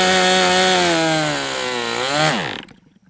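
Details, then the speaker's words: MDS 68 FS Pro glow engine on a break-in run, original glow plug still fitted: high steady buzz sags and quits at idle; owner unsure whether over-rich high-speed needle or bad glow plug, then fits an OS No. 8 plug. "Is it because I richened that up so much that now this high-speed needle is really rich? Oh, the other thing I did not do is I did not replace the glow plug, so maybe we just have a shitty glow plug too."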